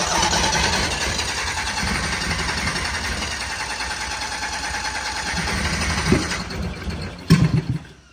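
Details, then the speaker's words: 1972 Honda N600 two-cylinder converted to fuel injection, first start without wideband: rough uneven idle with occasional coughs back through the intake, mixture not yet tuned, likely lean. "coughing out the intake a little bit I put the timing light on it too cuz we get little coughs out the intake every now and then but she's coming"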